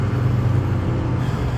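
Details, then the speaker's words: 6.0 truck on a test drive after a grinding/snapping driveline noise (owner suspects the carrier bearing); at a steady 35 mph with windows up, a low even road rumble with no grinding, knocking or vibration under load; the driveline now sounds smooth. "We're doing 35 right now, and it's just, you can hear it smooth as can be."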